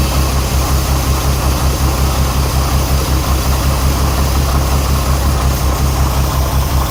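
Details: Renix Jeep Cherokee inline-six at idle: uneven thumps with periodic dropouts, misfire on cylinder 6 whose exhaust valve rocker moves less than the others (set too tight); backing off the rocker bolt cured the miss but left a valve tick.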